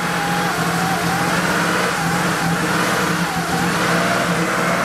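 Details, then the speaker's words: Porsche 3.2 Carrera with rebuilt engine and reinstalled injectors, fuel pressure being tested: held steady at high rpm, it sounds uneven and stumbling, misfiring and then dying. The miss worsens as it runs and the cause is not yet found. "at high rpms it's not happy that's not me goosing it at all i'm holding it steady [Music] and then it just dies"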